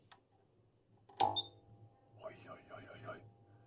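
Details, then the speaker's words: CBS Scientific EPS 250 Series II electrophoresis power supply, 0-250 V DC: one sharp thump at switch-on then faint steady hum; inrush from a large mains transformer with no inrush current protection. "that's definitely a big Hefty Transformer and no inrush current protection so it just pulls a lot of amps at power on"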